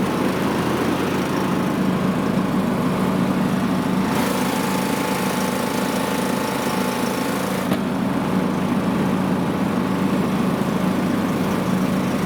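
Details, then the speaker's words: John Deere LA115 riding mower after refitting belt and deck: single-cylinder engine at steady speed, even drone, no knocks or squeals; runs great and deck works. "Alright, so I've got it all power washed here. It runs great. The deck works great."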